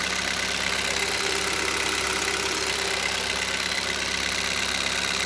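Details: Hyundai Solaris 1.6 cold start: light, fairly quick tapping over a hissy engine note at cold idle; engine knock when cold, cause unknown.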